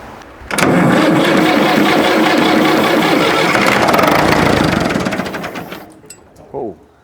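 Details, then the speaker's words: International Harvester 554 diesel tractor, left outside about five years, air filter off: cranking catches on ether into a few seconds of rough, fast firing then dies; apparently it's addicted to starting fluid and won't start without it. "it's not an achievement when they start on ether it's it's it's it's cheating but apparently this one's really addicted to it and it won't start without it"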